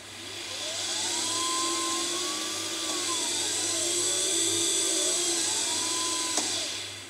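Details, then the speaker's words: Permobil F3 power wheelchair drive motor (worm drive) after brush housing cleaning and new brushes, running unloaded off the chair while brushes break in: smooth, even electric whine rising and falling with speed, no scraping or chatter; normal motor run. "okay let's fire it up and see what happens sounds like we're good"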